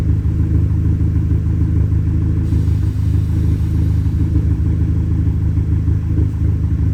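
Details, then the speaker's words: Audi A3 8P idling just after a new crankshaft position sensor was fitted and the battery reconnected; it had struggled to start because of a crank sensor code. Lumpy, uneven idle stumbling about once a second; the misfire cause is not pinned down. "okay so we're still mess firing for now [Music] I just cannot figure out what on Earth this misfire is"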